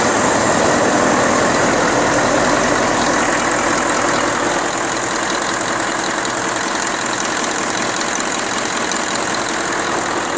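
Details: Deutz 1015 diesel after overhaul, Pucallpa, Peru: smooth, regular beat at a steady speed with no knocking or uneven firing; running healthy.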